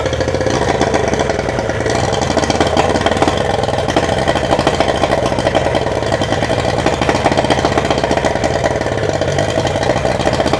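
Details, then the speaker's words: Yamaha 75hp two-stroke outboard uprated to 90hp, first start after full rebuild and rebore with new 90hp exhaust pipe, out of water with no gearbox, on choke: fast, even buzz, very loud raspy exhaust, mechanically quiet with no knocks; healthy. "Okay, so it's alive. Mechanically it sounds quiet and the exhaust is very loud, which is just what we want with the new 90 horsepower exhaust pipe fitted."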